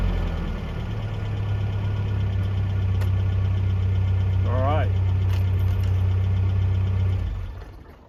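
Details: 1982 Toyota SR5 4x4 pickup after fixing stalling/cut-off problem: settles into steady, even low idle with no stumble or hunting, then shuts off cleanly.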